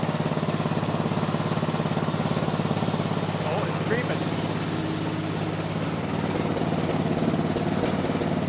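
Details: 1970s Massey Ferguson MF-12 garden tractor, Tecumseh 12 hp single-cylinder, running after the cracked head was replaced: steady but lumpy thumping idle that doesn't quite settle; owner suspects the carburetor needs going through.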